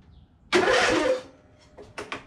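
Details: Husqvarna YTH22V46 riding lawn mower with about 230 hours, cranked after jumping a broken wire to bypass electrical faults; a short burst of harsh starter cranking that quickly dies away, starter spinning the engine properly; normal cranking.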